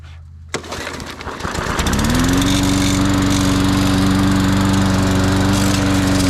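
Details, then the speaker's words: Cheap Walmart push mower mowing a track; catches and climbs to a steady, even drone that holds speed while cutting, no misses or surging; healthy under load, owner impressed. "Actually very impressed in that lawnmower."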